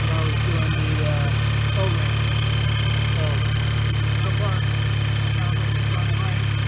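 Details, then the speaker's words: 2007 VW Jetta 2.0 turbo, earlier misfire codes, idling smoothly after a tune-up with new coil packs, spark plugs and high-pressure fuel pump cam follower; even idle with a light rev blip and no stumble, a normal idle. "all right and that sounds much better than it did before so we have that going for us all right so sounds like it's running much better"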